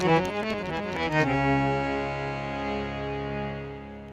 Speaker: so it sounds good now those notes i mean the whole harmonium could use a quick tune